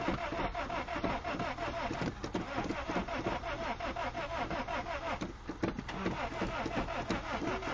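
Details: Fuel-injected Honda Civic VTEC, pumped while cranking: starter turns the engine over at about three beats a second, uneven and slowing as the battery dies, never fires; crank no start, flooding suspected, not confirmed.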